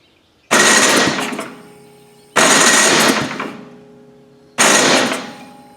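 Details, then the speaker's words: Gravely power brush sweeper, unrun 10 years, on its electric starter: three harsh grinding bursts about two seconds apart, engine never catching; the starter is loose, wiggling around and not engaging well. "It seems like that's loose. Doesn't work well. I want to get to the bottom. What's loose? The starter's wiggling around."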